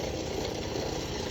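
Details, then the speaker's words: 2016 Dodge Charger idling and revved: rough, gritty whir at the front belt pulleys, heard via a tool touched to the part; worn pulley bearing suspected, belt tensioner pulley and alternator considered, not confirmed. "Y'all see that tensioner pulley right there? It could be something to do with that, too."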